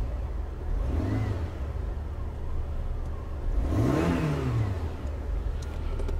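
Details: 2004 Renault Laguna 1.6 petrol, previously no crank, no start with immobiliser light flashing, started after a key card reader problem: engine revs twice, pitch climbing and falling smoothly, no misses; runs cleanly.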